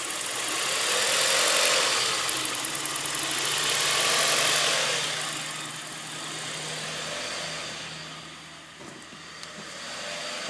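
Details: 1998 Audi A4 B5 with code P1545, rough idle surging from 1400 down to 800 rpm, engine speed swelling and sagging every few seconds.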